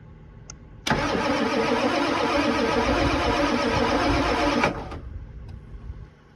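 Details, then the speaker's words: 1988 Ford F250 7.3 IDI ATS turbo diesel sitting about 12 years: about four seconds of steady, even cranking that never catches, starved of fuel as the holed fuel filter pours out diesel; cranks but no start. "The filter is like leaking. All right. So it's now late. I went and got a fuel filter because this one has a giant hole. It was just pissing out fuel."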